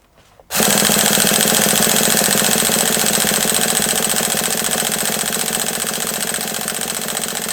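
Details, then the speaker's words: HPI nitro RC truck shelved at least three years, freshly fuelled: fast, even buzzing crank at about four pulses a second going on and on, slight pitch change and burning-nitro smell, never catches; long cranking without start, cause unconfirmed. "well I went on ridiculously long there trying to start that just because I thought that might trigger a few of you to tell me to"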